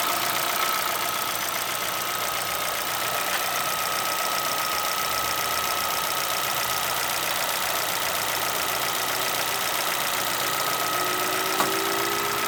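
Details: Chevrolet Celta VHCE Spirit 2011 engine idling with irregular light knocking, about two or three per second, over a steady idle with a faint whistle; knock source unidentified, owner asking what causes it.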